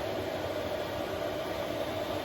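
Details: 5 kW Chinese diesel heater newly installed in a 2023 Ram ProMaster van, running after the fuel line was bled of air: steady, even roar with a faint constant hum and no surging or popping. It burns cleanly and puts out strong heat.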